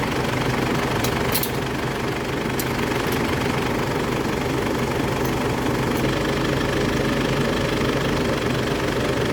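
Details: 2004 Ford Ranger after full air-conditioning system replacement, with added auxiliary condenser fan: steady diesel idle, compressor engaged and even fan whoosh, nothing knocking or squealing; normal running.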